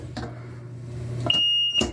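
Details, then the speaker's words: Sanitary sump pump's high-water alarm: single shrill half-second beep in a quiet room, triggered by its float when water is high and the pump isn't pumping sewage; float found dirty. "yes you could hear it's high water alarm when there is a lot of lots of um water and the pump is not pumping"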